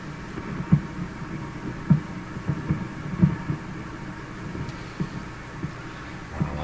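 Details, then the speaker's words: 1940s Canadian Red Cross tube radio after replacing four capacitors, run at about 90 volts with loop antenna: uneven low thumps about once a second over hissy hum, poor reception; dial string possibly slipping on a dusty, rusted shaft. "weird stuff going on here it it is sort of receiving not very [Music] well wow that's a lot of weirdness"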